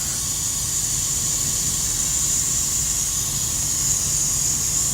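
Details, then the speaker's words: Truck air brake system, engine off, low system air pressure. Steady high-pitched hiss of constant level from the busted electronic moisture dump/drain valve on the air tank. "that part right there is busted this is a uh air fill release valve where it takes the moisture out of the tank that's leaking there"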